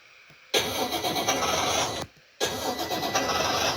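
Two long cranking bursts about two seconds apart, starter spinning the engine but it never catches; cranks without starting. Cause suspected, not confirmed.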